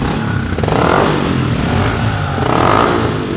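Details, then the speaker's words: Single-cylinder motorcycle with Yoshimura exhaust, warmed up after the high idle ends, blips up twice and drops back cleanly, crisp and throaty with no knocks or misses; sounds really good, normal revving. "I will say though, these bikes stock, like the exhaust doesn't sound bad on them."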